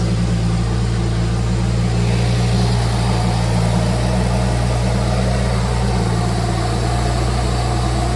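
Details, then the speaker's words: BMW E93 335i turbo six, first fire after ARM Motorsports full bolt-on kit and coolant fill: steady, smooth, deep drone with no knocks, ticks or misses; running normally. "All right, ready for the first fire. ARM Performance E93 full bolt-on kit."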